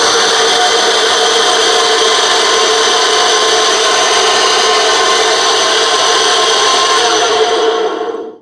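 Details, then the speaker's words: Dusty, likely belt-driven appliance from a charity shop, unused for a long time, at first power-up: a harsh, gritty, uneven rasping whirr. Bearings suspected dodgy or the belt possibly worn, not confirmed. It tests electrically safe with a good earth. "The bearings sound a little dodgy and could be the belt. I think there's a belt drive in there. The belt might be a bit worn."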